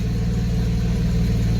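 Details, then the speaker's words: 1991 Mercedes 190E after hydraulic lifter replacement: low even idle pulse, smooth steady exhaust beat, no ticking; earlier lifter tick gone, each cylinder firing evenly; normal idle. "equally like each and every singly you kind of can hear each and every singar firing so yeah I mean I'm happy with the result"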